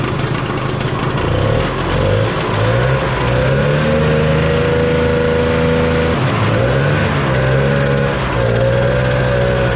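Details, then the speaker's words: 1968 Ski-Doo Super Alpine with Rotax 370 two-stroke, muffler refitted after the fuel line fix: revs surge and sag unevenly and stumble instead of clearing out. Poor running from exhaust blocked in the small flex pipe. "So we put the whole thing back together, didn't want to run, kind of had the same issue. I thought the muffler was free, but turns out the jam was in that small piece of flex pipe right there."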